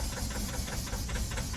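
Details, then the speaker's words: Mazda 6 non-runner, flat battery on booster pack, no fault codes, temperature sensor found pulled from exhaust and pressure sensor disconnected: engine catches but runs lumpy with uneven thumps and stumbling beat, smoke seen; rough running, cause unknown. "running, but running bad. I don't know if we can hear that."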